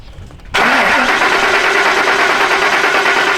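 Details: 2003 Ford Expedition 4.6L V8 (2nd gen U222), baseline test with no starting fluid: the starter engages and spins the engine at a steady, even pace, but it never catches; crank-no-start, cause not yet confirmed.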